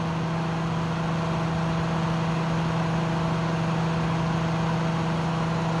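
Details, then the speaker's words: Kenmore dehumidifier stripped bare, fan held in place by hand during compressor startup: steady low hum with constant loud whooshing fan rush drowning out the compressor; owner suspects unit low on refrigerant. "I don't like that fan it's too loud that compressor sounds amazing it's too bad the Fan's so loud"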